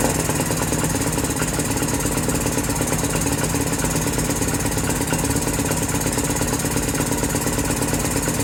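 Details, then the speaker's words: 2018 Lance Cali Classic 125cc scooter, a non-runner revived, idle screw turned up, not yet warm; ragged, uneven buzzing under steady throttle that never settles into a clean idle. Rough running; cause unconfirmed. "I got have a throttle on a decent amount it doesn't quite seem right but maybe see have warms up"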